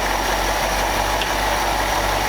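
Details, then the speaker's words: 1965 Ford F600 with a rebuilt carburetor that previously leaked fuel onto the intake. Deep, even idle with a smooth steady beat, possibly slightly fast; no misses or surging; normal idle. "sounds better for idle it sounds pretty deep not a little fast to me but i'm used to flatheads they idle that"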